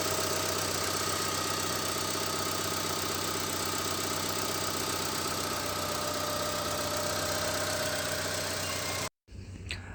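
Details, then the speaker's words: Honda Stream engine at idle, not yet revved. It runs smoothly and evenly with no knocking or odd noises: normal idle. The owner's complaint is a clunking knock that appears only when revved. "ini suara mesin dalam keadaan langsam ya jadi belum kita gas seperti ini suara mesinnya terdengar normal-normal saja tidak ada keanehan sama sekali ya"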